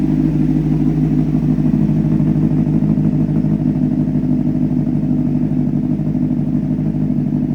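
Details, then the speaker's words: 2004 Honda CBR600RR, 10,882 miles, after engine rebuild, warm at about 160°, still smoking a little: steady even four-cylinder idle, about three beats a second, no knocks or misses; normal idle. "Beautiful, beautiful bike. Sounds like it's running healthy. I can't complain."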